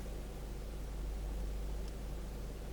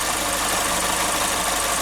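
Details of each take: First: 2012 Chevrolet Spin idling, heard from inside the car, after the tinny rattle was traced to the canister purge solenoid: a steady, low, even hum with no tapping or ticking; quiet, normal idle. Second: Chevrolet Spin petrol engine at idle with a light, quick tapping over the hiss from the canister purge solenoid; the noise stops when the solenoid is unplugged and returns when reconnected, and is heard better inside the cabin.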